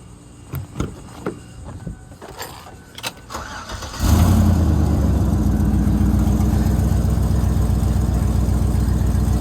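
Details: 2007 Chevy Tahoe 5.3 V8 after alternator replacement: the engine catches at once and settles into a smooth, steady, even idle with no misses; no battery light afterwards, repair confirmed.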